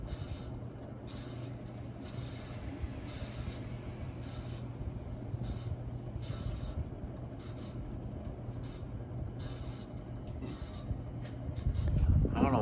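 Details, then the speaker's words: Hampton Bay Gazebo Plus 52-inch ceiling fan, early-2000s, on high speed: low hum with a soft rhythmic rubbing swish a few times a second; a new noise absent at an earlier test, cause unknown. "it's making a sound wasn't making that earlier when i give it a quick test on huh another high speed"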